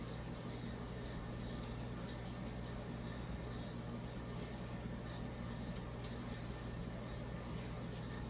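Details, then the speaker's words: Vintage Casablanca Victorian ceiling fan, K63 motor, late 70s–early 80s, on high, recorded under the fan: quiet steady low hum, no grinding or ticking; normal running, slight wobble likely from flywheel. "It's still a good runner. Little wobbly, but I do think it's from that flywheel."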